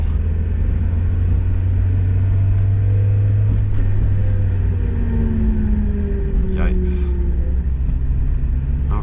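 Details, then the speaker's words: Mazda Miata test drive, rear differential failing: low road rumble with faint whine sliding down in pitch as car coasts off throttle, coast side of gear teeth sounding different; some sound even in neutral. "the idea is when you're accelerating you're on one side of the tooth of each gear and when you're coasting you're on the other side so you can get a totally different sound"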